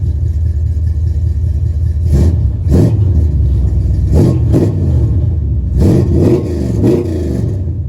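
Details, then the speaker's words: 1977 Dodge D200 360 V8 with new intake and rebuilt carb not yet tuned, leaking coolant; after a test drive several crisp blips rise and fall cleanly back to a steady idle with no stumble or rattle: healthy revving. "other than that uh seems pretty good all right I'll do one more rev for you guys"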